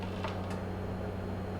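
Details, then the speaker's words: Whirlpool WRF560SEYM00 refrigerator that makes ice but won't dispense water: pressing the dispenser, the inlet valve solenoid hums steadily but no water flows, so it is getting power electrically. "which I can hear it humming there's no water coming out so we know electrically everything should be fine"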